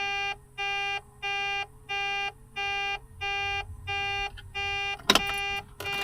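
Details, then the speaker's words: Mack truck that keeps losing fuel prime: a steady two-tone electronic beep, about one a second, in a quiet cab. It started with the key off, and air pressure is fine; cause unknown. Warning alarm beeping. "I don't know what that noise is making. Is it low air? No, we have plenty of air."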